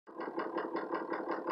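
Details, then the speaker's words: Ford 6.0 Powerstroke diesel with no power, no accelerator response and no codes, VGT reading 85%; uneven lumpy idle pulsing about five times a second with shaking, smoothing out around 2,000 rpm: rough idle, cause unclear. "really rough idle if you really feel a shake probably see a chick in the video and tell about 2,000 rpms and everything starts smooth out"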